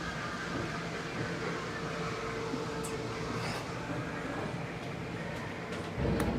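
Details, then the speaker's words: 2022 Grand Design Reflection 337RLS RV slide room moving: even, steady motor drone with a faint hum and a few light clunks; normal slide-out operation. "The mic might not catch it, but I can hear it, and that lets you know it's at its fullest extent."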